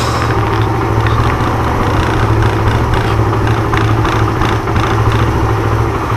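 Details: Suzuki Intruder 125 that sat about a month and wouldn't start: single-cylinder thump at idle wavers and dips unevenly instead of holding a steady beat; owner suspects bad fuel and a dirty carburetor.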